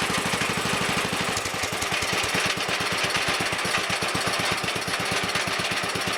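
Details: Wheel Horse Commando 800 tractor with sickle bar mower and 8-hp pull-start engine, just after replacing the old belts: even, rapid single-cylinder popping with crisp mechanical chatter. Normal running.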